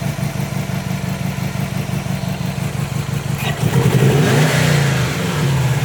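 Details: 2005 Subaru WRX EJ20 with code P0340 and a cylinder 3 misfire: uneven, chuffing idle pulsing about three times a second, then a rev blip. Timing belt, MAF, coil, plug and O2 sensors were checked or replaced, and compression is good.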